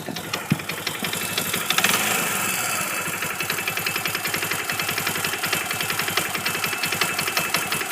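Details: Kawasaki at idle: sharp, evenly spaced knocks about eight to ten a second over the engine, possibly worsening; the owner suspects the clutch sliding on the crankshaft or a missing washer, not confirmed.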